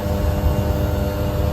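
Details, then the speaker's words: 12000 BTU mini-split heat pump outdoor unit heating in winter cold, drawing near 1900–2000 watts at almost 8 amps; loud steady low hum with even fan and compressor drone, no knocks or rattles; normal at full heating output. "it actually sounds like it's at its highest it doesn't sound like it can go much [Music] higher"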